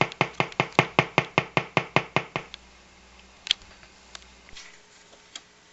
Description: LED change color is a so pretty color but cause interference noise.